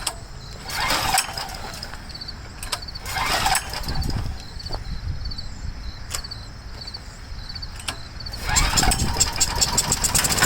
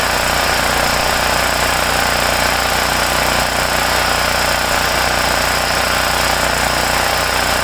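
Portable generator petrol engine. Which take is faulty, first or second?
first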